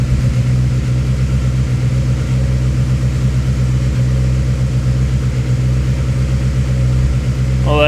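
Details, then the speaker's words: Honda Civic D16Z6 SOHC turbo build at first start after valve adjustment: steady idle with sharp, fast tapping in time with the engine; two valve adjusters had backed almost completely off, lash far too wide. "I had two that were had backs almost completely off so that's why the valve noise was so nasty when it fired up missed I must have missed him where I didn't get him tight enough"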